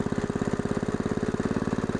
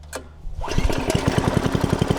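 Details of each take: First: Log splitter's fairly new small engine after a second carburetor cleaning with carb cleaner, restarted after being shut off: steady, even single-cylinder putt-putt idle, about thirteen beats a second, no misses or knocks; running healthy. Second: Log splitter small single-cylinder engine, long unused, fresh gas, warming oil: putters evenly at low speed a few seconds then dies when throttle is raised.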